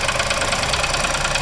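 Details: New Onix Plus LT manual at idle: fast, steady tapping knock, about ten a second, over a busy idle, appearing when the brake and then the clutch are pressed; something inside actuates and knocks, cause unexplained.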